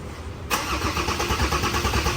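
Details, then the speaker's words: Ford Everest 3.2 diesel, brand-new dealer-supplied replacement engine built in South Africa, first start after 9 L synthetic oil, coolant fill and fuel bleeding; catches at once, settles to even steady clatter, no knocks or misses; normal start and idle. "รันไปก่อนนะฮะห้ามเบิ้ลห้ามอะไรทั้งสิ้นนะฮะรันไปก่อนันนี้ผมจะรันทิ้งไว้เลยครับอย่างน้อยๆครึ่งวันของวันนี้"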